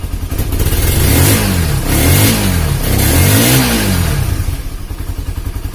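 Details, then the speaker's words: Honda CB150R after an engine teardown to fix a leaking head compression that sprayed radiator coolant: three clean rev blips over an even low thrum with no knocking; the engine now sounds smooth. "oke Alhamdulillah sudah halus untuk suara mesin"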